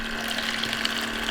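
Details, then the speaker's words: Countertop bag-in-box cold brew fridge, pump just switched on with air in the new lines: steady, even pump hum alongside gushing liquid, no stalling or surging, running until the air purges; normal operation. "Now you're going to hear that pump run because there's air in the lines, and it's going to keep running until you purge that air out."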